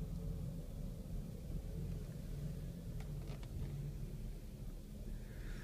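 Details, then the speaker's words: 2006 Kia Sedona LX at 77,255 miles: low, uneven, lumpy rumble with heavy shaking and no smooth rhythm; severe engine misfire, rough running, owner suspects it needs a tune-up. "probably needs to tune up or something like that with only 77 000 miles this shouldn't be a problem shaking crazy this thing is rough no good rejected"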